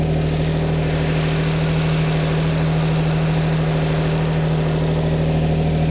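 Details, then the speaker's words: Classic Lamborghini V12 at idle while balancing carburettors: deep steady idle with slight lumpy pulse, about 158 beats a minute; one carburettor admitting more air, mixture smelling very rich before all 12 cylinders balanced. "so I can also smell it's very rich the mixture too much petrol for the air going in"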